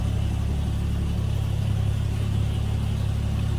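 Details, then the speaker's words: 1950 Chevrolet 3600 truck inline six, heard from the rear while idling: steady, even low rumble with smooth regular firing pulses and no knocks or ticks; sounds as an inline six should, normal idle. "Guess it sounds like you'd expect an inline 6 to sound."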